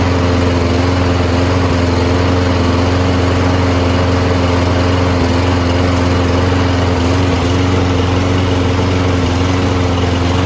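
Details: Lawnmower that would not start after winter storage, after a quick carburetor clean of ethanol gum from the jets: deep steady putter at an even speed with no stumbling, surging or dying out. Normal running.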